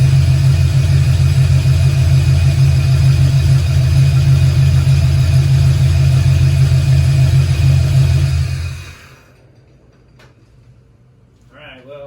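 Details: 1968 Camaro V8, second start-up, Holley EFI without correct injector data, idle not yet adjusted: deep even rumble under light revs for about eight seconds, then clean shutoff; a bit smoky from oil in cylinders, oil pressure error; normal revving.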